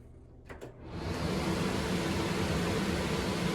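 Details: Three-and-a-half-year-old Whirlpool vent hood after removing a bat that jammed the blower wheel and caused rubbing: a couple of clicks, then fan spins up to smooth, even whoosh, no rubbing or rattle; working properly.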